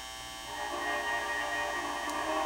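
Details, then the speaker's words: AM/FM cassette mini boombox being made functional before a Bluetooth add, volume turned all the way up: a steady mains-type hum under thin, buzzy, very distorted sound; weak, distorted audio stage, cause unconfirmed. "that's all the way up it's very distorted"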